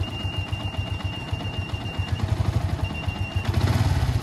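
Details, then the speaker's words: Yamaha Vixion motorcycle at idle: thin high mouse-like squeak chirping over idle, disappearing when revved; water pump opened for service. "nah di hari ini kita mendapati motor pron permasalahannya itu musesinnya suaranya ada tikus ya seperti suara tikus"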